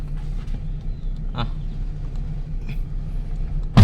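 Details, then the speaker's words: Mitsubishi E-Car, warm, after an idle repair including valve adjustment, with AC compressor cut off: low steady idle hum with no stumble or hunting apart from a brief knock near the end; rpm holds with AC cycling and in gear, no engine light. "เดี๋ยวรับประกันโอเคเลยอ่ะรอบไม่มีตกนะครับเปิดแอร์นะครับปิดแอร์เปิดแอร์ปิดแอร์นะครับเข้าเกียร์นะครับรอบไม่มีตกนะครับ"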